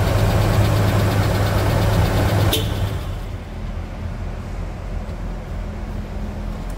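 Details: Mitsubishi Pajero Dakar V6 flex-fuel at idle during a post-purchase service with timing belt replacement, new radiator and cleaned TBI, while coolant bleeding is underway: low, even, smooth rhythm with no knocks or ticks over shop noise; normal healthy idle.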